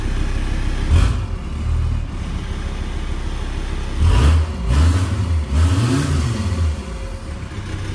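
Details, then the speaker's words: Home-made VW T4 doka diesel running after rewiring for missing grounds and loom issues under the dash: settles into a steady low idle, then quick blips rise and fall cleanly with no knocks or misses; normal running. "There you go, she's running. It's exactly what we wanted."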